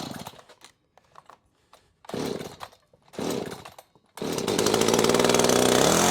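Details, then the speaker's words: Echo CS-590 chainsaw during carburetor tuning with a tachometer, aiming for about 2,800 rpm idle: after a couple of pulls it catches and idles high near 2,900 rpm, pitch creeping up. Lean idle, being turned down. "But you see, she's running a little lean. So we're gonna go ahead and turn her down just a bit."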